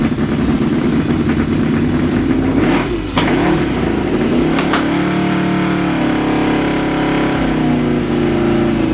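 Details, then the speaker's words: Suzuki GS550 café racer four-cylinder on pod filters: with the pods covered in gaffer tape to cut airflow, it picks up cleanly on blips and settles to a steady, even idle without choke for the first time, showing the pods let in far too much air. "Covering my pods with gaffer tape and reducing the airflow into the engine actually let me run it without choke. So that's the first time I've ever done that with this bike."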